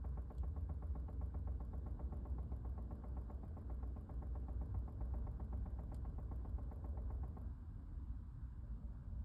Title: 2020 Chevy Bolt Rapid Clicking Sound